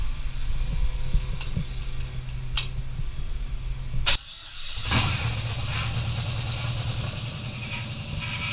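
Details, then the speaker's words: LS-swapped Chevy S10 on its first start: the V8 fires quickly, with sharp metallic slaps over the idle as the accessory belt kicks outward and hits a bolt. "Okay, we have fire. I don't know what that noise was though."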